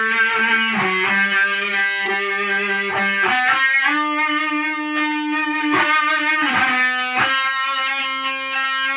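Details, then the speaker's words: Peavey 5150 guitar amp after rebuild, with wrong-polarity preamp capacitors and a 1.5K bias resistor (should be 15K) corrected: clean, full distorted guitar notes with no hum, crackle or dropouts; amp working normally. "All right, we've got a working amp finally."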